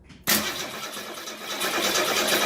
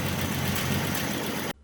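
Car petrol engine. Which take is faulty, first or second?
first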